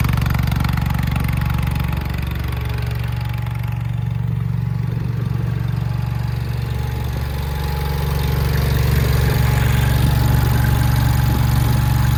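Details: 1968 John Deere 140 H3 hydrostatic tractor, unrun for over 20 years: steady low drone holding even with no misses or knocks, a little smoky; runs smoothly, normal running.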